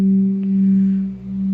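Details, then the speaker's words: Older five-year-old portable speaker, battery not fresh and a bit low, plays a steady pure tone near 200 Hz cleanly with no crackle or clipping. It is a good comparison to an Oontz Angle 3 with a bad battery. "this one I think it's a little bit lower on battery at the moment but it sounds way better now listen to this laughs clear and there's no clipping"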